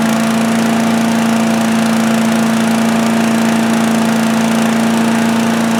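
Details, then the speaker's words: Predator (Harbor Freight) chipper/shredder, 212cc gasoline Honda-clone single-cylinder, running after a won't-start repair, throttle set near high, started on choke; it had very little oil. Steady, even fast buzz with no misses or surging; runs normally. "Yep, it runs. Easy one today, right?"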